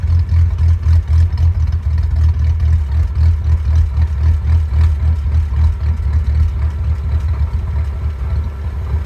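Idle pulses in lumpy, uneven surges a few times a second, rising and dipping instead of running even; rough idle.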